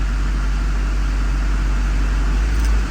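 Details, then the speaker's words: Duramax diesel truck at cold idle after sitting, following new fuel lines with rail pressure now matching desired 5700; deep, steady, unbroken rumble with no knock or stumble; normal cold idle. "not going to rev it up yet it's kind of cold guys it's been sitting for a little bit"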